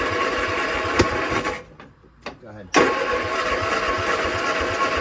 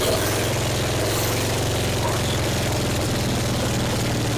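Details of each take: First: 1966 Triumph Spitfire MK II, abandoned 41 years, cranking after points cleaned and carbs rebuilt: uneven, lopsided starter cranking with a pause and no catch; no compression on cylinders three and four, valves appear stuck. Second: 1966 Triumph Spitfire MK II, abandoned 41 years: a low, steady throbbing idle with slight roughness, now running on its own fuel after backfiring through the carb; very loud from a large exhaust hole.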